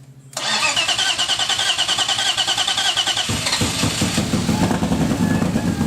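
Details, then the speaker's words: Custom forged 3.1-liter BMW S52 on its first start after the build: it cranks, catches, then runs uneven and labored with a lumpy, stumbling beat. It was running a little rich and sounded like it was struggling rather than misfiring; the owner fears the rings were fuel-washed. "he was running a little bit rich but it didn't sound like it was too bad it sounded more like it was struggling to run that it was actually misfiring which is a good sign"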